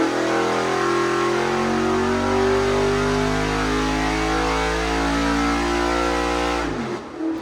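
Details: 406 small-block Chevy nitrous street engine with nitrous camshaft on engine dyno, rejetted two numbers richer after running lean, 750 carb: loud steady V8 bellow at high revs under full load, no misses, then drops off; reached 1.25 hp per cubic inch. Healthy wide-open-throttle pull.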